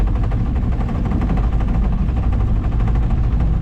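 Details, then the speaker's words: Outboard on a $700 auction boat at full throttle on the lake: deep loud drone with an uneven, stumbling beat and spits, misfiring under load; the owner suspects it needs carb work or time to burn deposits off. "That's full throttle. I don't know, guys. Might just need some time to burn some crap off, but definitely need some carb work."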